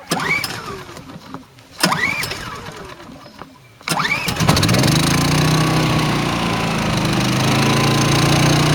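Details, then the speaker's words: Champion inverter generator cold start with fuel on and choke applied, before powering a 13,500 BTU RV air conditioner: a few rope pulls, then it catches and settles into a smooth, even idle with steady tone; healthy start. "Okay, we're going to crank it up. I got the fuel turned on. Put the choke on. Engine powered on."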